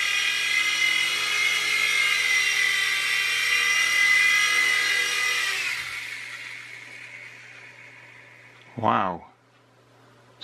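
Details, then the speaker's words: U809 Air Attack toy helicopter flying after a new LiPo and super-gluing the slipping pinion gears to the motor shafts: a steady high motor whine holds evenly, then winds down smoothly, indicating normal flight. "success we've got a working helicopter"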